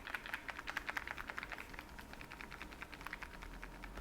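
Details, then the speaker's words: Xiaomi 14 Ultra smartphone shaken in the hand: a quick, uneven and fairly loud clicking rattle, found on every unit tested and considered normal. "alle haben so laut geklappert also falls auch euer xiaomi 14 ultra klappert macht euch keine Sorgen das ist komplett normal"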